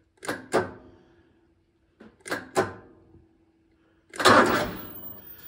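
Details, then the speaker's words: Ferris ISX3300 zero-turn mower, Vanguard 37HP, after sitting a few days: the key gives sharp paired clicks and a faint hum with no cranking; an intermittent click-no-start fault, cause suspected, not yet confirmed. "So mower's been sitting a few days, and the issue I have is when I go to start it, you just get a click."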